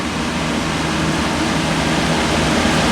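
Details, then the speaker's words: Older 14-inch metal box fan, General Electric motor, probably 4-pole shaded pole drawing 1.4 amps, rotates counter-clockwise: steady even whoosh with soft low hum, no ticking, scraping or wobble; runs smooth, quiet, decently balanced, moves good air. "runs really smooth. It's in pretty decent balance. It's quiet. Moves good air."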